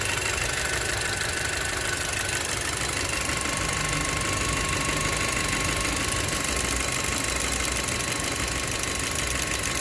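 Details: Audi A4 B7 2.0T petrol engine at idle: thin steady whistle over the even engine note, cause unknown.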